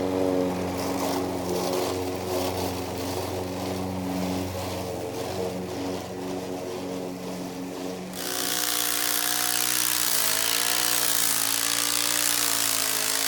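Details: Old Toro Recycler mower with bad transmission, mowing: engine running with rhythmic scraping grind under the drone, then a louder, rougher stretch; failing drive transmission.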